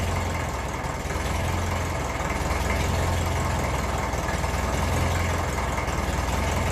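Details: 1954 Ferguson TE20 (TEF) diesel tractor, cold start on the heater plug, governor fitted with a stronger spring: steady diesel clatter at idle, speed hunting slightly up and down while cold, then settling; normal cold diesel idle.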